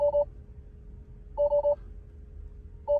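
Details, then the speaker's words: 2021 Tesla Model 3 Long Range, battery run below 0% with 2.3 still remaining in service mode: a mid-pitch triple-pulse chime repeats about every 1.5 s over a quiet background as load shed alerts appear and the car shuts down. "wow everything's turning off if only could turn that sound off it's so annoying"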